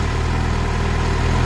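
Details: Suzuki GSX-R750 at 2,069 km, which began misfiring, idling after the original spark plugs were replaced with new iridium plugs: steady, even four-cylinder idle, smooth low hum, no misses; normal idle.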